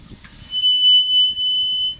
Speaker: Like that noise is a classic wear indicator noise. So, the brake pads on some vehicles have wear indicators, and that is what's making the noise on this car.